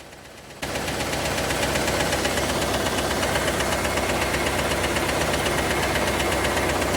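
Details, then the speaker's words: IROC Camaro engine, which had glittery oil, at idle; fast, busy ticking about four per second with a duller clacking knock underneath. The source is not pinned down yet. "This thing sounds like a clock factory going off inside. There's so much ticking and clacking going on. But try to listen in for that clacking noise that you're going to hear underneath the ticking, because it is there."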